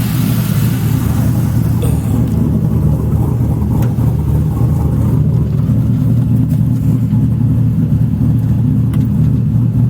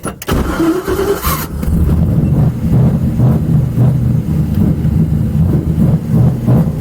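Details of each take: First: Sludgy 4.8 L LS V8 swapped into Miata, warm at about 194 after bleeding coolant; deep even burble, no misses, knocks or rattles; normal running, clutch unconfirmed. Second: Miata LS-swapped with sludgy 4.8 V8, bigger cam, conservative tune: cranks, catches, then lumpy uneven idle stumbling irregularly; owner suspects idle timing/tune, not confirmed.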